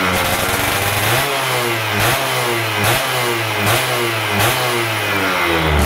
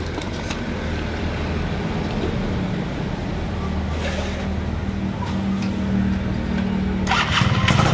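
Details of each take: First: Stock Yamaha F1ZR 110 two-stroke during wet carburetor tuning, air screw about 2.5 turns out: crisp blips, with revs climbing and dropping cleanly about once a second, no stumble or bog; a responsive, healthy setting. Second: Yamaha F1ZR stock two-stroke carburetor set rich with a larger pilot jet; idles then revs climb quickly off low throttle with a crisp, eager pickup from the bigger pilot jet.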